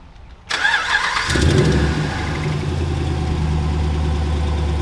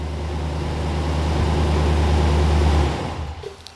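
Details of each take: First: Ram 1500 5.7 Hemi V8, cold start: cranks and catches into rough idle with quick puffing ticking/knocking from an exhaust manifold leak caused by a stud broken clean in half; noise typically fades once warm. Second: Ram 1500 5.7 Hemi, first start after replacing a broken passenger-side exhaust manifold bolt and gasket that caused cold-start ticking: smooth, even V8 idle with no ticking or puffing at the manifold, then a clean shutdown. It sounds like new.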